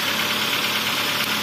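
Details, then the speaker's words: Toyota Avanza after overheating, noisy in the mornings, valve clearance checked; still noisy when revved: busy, clattery idle with light rapping knock; piston slap, engine overhaul proposed. "tu dengar engak kreok kreok gitu ya"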